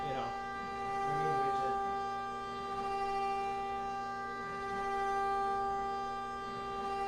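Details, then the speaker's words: CNC milling aluminum adaptive toolpath at 50 inches per minute, cutter fully engaged; steady even tone holding pitch with no warble or rattle; stable cut, no chatter, stock held well. "in here relatively consistent sound this is very good no chattering or anything um and that just means that your stock is very well in place your machine is able to do it"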